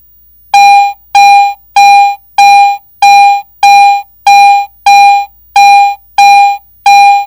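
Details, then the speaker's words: Garrett AT Pro metal detector in standard mode, coin passed beneath search coil at different depths: clean steady mid-pitch beeps, fully on then off; normal binary target response. "this consistent target response is called binary audio in other words it is either on or off it either beeps or it doesn't"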